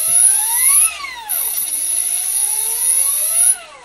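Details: Electric helicopter motor on a Tarot ZYX controller after binding a DSMX-2 satellite receiver with DX8/DX6i: clean electric whine climbs, dips and climbs again with throttle, smooth and even with no grinding; motor runs normally, bind appears successful.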